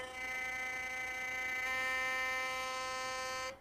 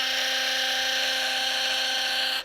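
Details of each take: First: Philips Sonicare toothbrush after tightening the screw that removes play in the shaft: steady, clean high buzz, even in pitch until switch-off, no rattle or excess vibration; noise fixed. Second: Philips Sonicare electric toothbrush: loud, harsh buzz with a coarse rattle, much rougher than a new brush, from daily use loosening the drive shaft and creating play.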